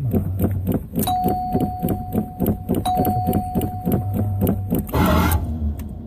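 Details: Stalled before leaving the parking spot: slow, uneven cranking about three beats a second under a warning chime, then a brief catch that fails; hard start, cause unclear.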